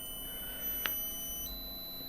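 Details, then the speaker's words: Commander C200 variable speed drive autotuning a 4-pole 0.18 kW induction motor at 2/3 rated frequency: thin high-pitched tones hold steady, step in pitch, quieten toward the end; normal autotune. "and now it's just tuning and then should see that happening it's running it at 2/3 of rated frequency at this stage can hear it getting quieter there towards the end so that's done the autot tune now"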